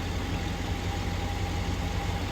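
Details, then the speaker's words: 2004 Chevy Silverado 6.0L V8 idling after Motomatic motor flush treatment for lifter clicking: smooth, even low idle with no ticking or tapping, quiet valvetrain; clicking stopped, normal idle. "No more clicking noise. It stopped. It is so quiet."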